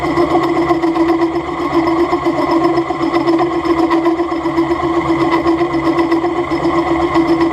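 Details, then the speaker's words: Milling machine being recommissioned: steady buzzing chatter with a strong mid tone through the cut; the head is out of tram, not trued, so the cutter recuts on its back clearance — chatter from an untrammed milling head. "Le bruit que vous entendez ici, c'est pas que la machine vibre. Enfin, si elle vibre, justement, c'est bien ça le problème. C'est juste qu'en fait, la tête n'est pas alignée, elle n'est pas dégauchie, et donc on peut avoir des problèmes de."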